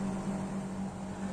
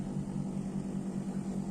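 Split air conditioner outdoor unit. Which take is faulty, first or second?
second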